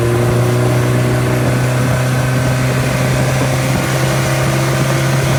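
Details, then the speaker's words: Freshly rebuilt engine FM95049UCE, good compression, oil pressure and water temperature: strong, even low drone at steady speed with no knocks, ticks or misses; smooth, healthy running after rebuild. "I'm very pleased with all the parameters, the oil pressure and the water temperature it holds, and the compression."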